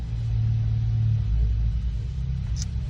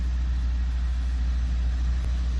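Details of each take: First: 2014 Ford Focus ST 2.0L EcoBoost, cold engine, no load at idle: low lumpy stumbling beat; cylinder 4 dropping out badly, cold-start misfire seen on Forscan power balance. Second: 2014 Ford Focus ST 2.0 EcoBoost with a cold-start misfire complaint, after about 30 seconds warming up: deep even idle rumble with no stumbles; no misfire counted once warm, issue mainly when cold, carbon suspected.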